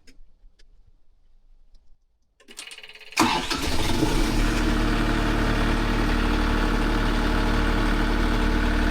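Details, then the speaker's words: Boat diesel engine started with the sump still low, run to fill the galleries and oil filter: quiet cranking, then it catches into a steady, even idle with no knocks or misses; oil pressure is present and there are no leaks. "Cool. So we know we've got oil pressure. There's no weird leaks."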